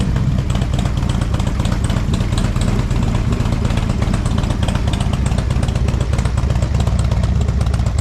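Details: 2007 Harley-Davidson Street Glide with hard-starting complaint, some black smoke on revs: steady deep V-twin idle with an even loping beat, no misses or rattles; runs healthy, spark plugs appeared to solve it.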